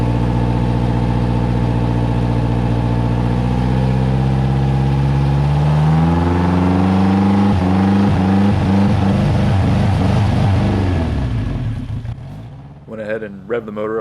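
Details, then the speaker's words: Hurricane-salvaged 2021 Suzuki 150 outboard after a fuel system fix, revved in neutral to the rev limiter near 3,000 rpm: pitch climbs, then stutters and cuts in and out, shaking and bogging under the cut, before dying away. "I also found out that there's a rev limiter so I couldn't um in neutral get the motor to rev much higher than 3,000 RPMs um that's when it was shaken and bogging down"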